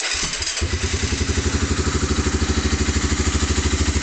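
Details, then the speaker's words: 1988 Honda Fourtrax TRX300 2x4 engine, low on fuel: brief crank, catches and settles into steady, even single-cylinder thump around 190 per minute; healthy start and idle, no smoke or leaks. "That's the purpose in this video, is to prove that it runs. Crank it up."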